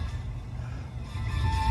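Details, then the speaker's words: Newly installed speaker in a Honda Insight, tested with key on: music comes through boomy and muddy, low end overwhelming everything, distorting on too much bass; sounded better once bass was turned down. "That sounds terrible. This thing sounds all jacked up."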